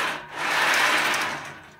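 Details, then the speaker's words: DIY CNC plasma cutter, JD's Garage design upsized: rough buzzing roll swelling and fading as the carriage makes a long travel along the rail on the supplied poor-quality bearings, noisy and loose; owner plans to replace them. "These bearings are a lot better quality. You really hear a lot of carriage noise on that long travel"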